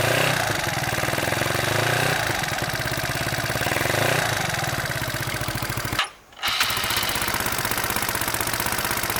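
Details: Mio Sporty 63mm scooter fires up and settles into a quick, even putter with no puffing or ticking at the pipe joint; normal idle after a muffler-to-exhaust-pipe leak was fixed with a can, two hose clamps and gasket maker.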